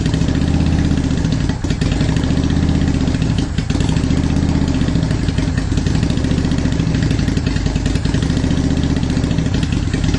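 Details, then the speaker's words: 2010 Honda Shadow Phantom V-twin after cleaning out the gas tank for fuel issues: even, loping low idle thump that holds steady, and it revs better now. Normal steady idle after the repair. "there we go now we got kind of a steady idle going so i think that sounds a lot better it revved a lot better"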